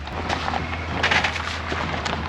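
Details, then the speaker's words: New Ford F-550 with a homemade wooden flatbed, no bolts or tie-downs, while driving: over a low drive hum, sharp woody cracks and clustered creaks and pops as the frame twists and flexes; flatbed deck cracking from frame flex. "it literally wants to break that piece of wood right now it's like like so that's I didn't even realize in making this janky flatbed we were really doing a test to make the frame twisting and flexing of a pickup truck into an audible"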